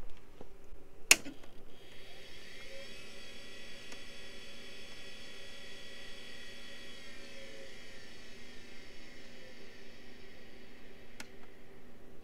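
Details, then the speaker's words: 30-year-old Quantum ProDrive ELS hard drive from a Macintosh IIci, microphone close: a thin whine rises as the platters spin up, holds briefly, then spins down with no seek or click noises. The heads are stuck on gooey, degraded rubber. "so exactly like i described the disc spins up briefly then immediately spins back down there's no seeking noises no clicking no nothing"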